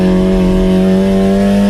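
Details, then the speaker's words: Turbo Honda Civic EG drag car, stock-internal Integra GSR B18C1, on road course at high revs through turn six: steady high engine drone collapses as power cuts out under throttle. "the very next lap however the car started showing me issues you can see it coming through turn six I'm on throttle but the car completely Cuts power"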